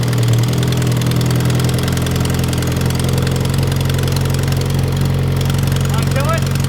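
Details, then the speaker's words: Mitsubishi Evo X at first start after a turbo swap with new downpipe and exhaust. Lumpy idle with a fast, sharp ticking puff at each firing. Suspected exhaust leak where someone drilled through the manifold, likely after breaking a heat shield bolt. "We did have a small exhaust leak. This manifold, someone drilled out, it looked like, for the heat shield."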